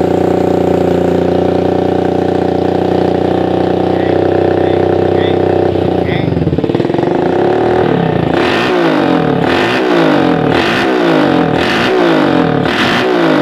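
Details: Suzuki Satria FU 150 after porting and new valve shims: an even idle, then quick, sharp throttle blips about one a second that rise and drop back cleanly; it revs freely, unlike the earlier slow rev response.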